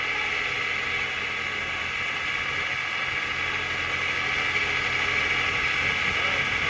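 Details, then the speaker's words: 2017 Lincoln MKZ Hybrid Black Label 2.0 L, 141,000 miles, towed in, driving on full electric before repair: high steady whine over the quiet electric drive; total stator bearing failure in the hybrid transmission, later replaced. "All right, so total stator bearing failure."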